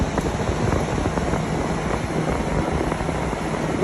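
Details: Normal operation of a PTAC wall unit after replacing the broken evaporator blower wheel, which had been displaced from the motor and bouncing loudly: a steady, even whoosh of air with no rubbing, scraping or rattle; unit working perfectly fine.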